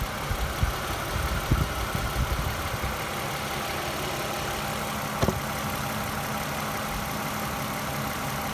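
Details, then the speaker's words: 2010 Lexus ES350 V6 at 153,966 miles: steady, even idle with low smooth hum, very little vibration, no knocks or misses; normal idle. "Very little vibration. Runs super smooth."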